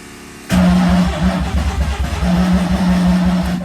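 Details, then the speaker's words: Mazda 323 with turbo 13B rotary on an ECU taken from an RX7: starter churns in quick uneven pulses about three seconds, engine never fires; crank no-start, owner suspects overfueling from the ECU tune, unconfirmed. "What the hell is that noise? Yeah, well, it's still not starting. I reckon it's overfueling, and it has everything to do with that ECU or the tune that's in it."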